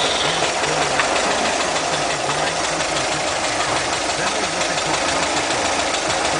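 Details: Steady engine idle with a constant airy hiss over the engine note and a slightly uneven beat, typical of a vacuum leak, found while changing the fuel lines.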